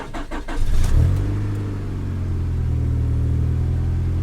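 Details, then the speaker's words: 2009 Ford Crown Victoria police car, salvage auction purchase, first start after sitting: brief crank, catches within a second, settles to a smooth even idle with a steady low hum; healthy engine, though brakes are gone from a suspected ruptured line. "Runs like a Honda, man. These cars run forever."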